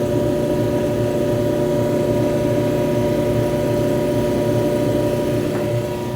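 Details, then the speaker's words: Electrolux front-load dryer EIMED60LT3 after work on rollers, tensioner pulley and blower wheel; steady even hum with no scraping, heating normally. Normal running after repair. "as you can see, got this puppy working properly. No noises, it's heating, all that type of stuff."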